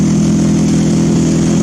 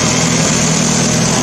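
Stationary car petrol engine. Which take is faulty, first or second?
first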